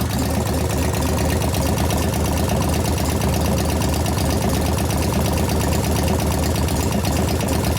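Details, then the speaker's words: 1988 Harley FXR V-twin, hot, at idle: a sharper repeating tap at about three per second over the exhaust grows louder as it warms. It is traced to the rear lifters. Hydraulic lifter knock. "cut the rare ones again didn't know it could be louder right now I can hear the knock getting louder which one is it"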